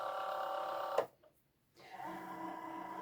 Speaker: So, as you can hear, mine is going in without any hassle. So, press go. Uh there's no pinging noises.